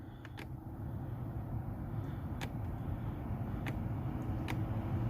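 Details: BMW X5 heater blower, new replacement after aftermarket unit shorted internally: steady even air rush with low hum, no rattle or surging; normal operation, low current draw.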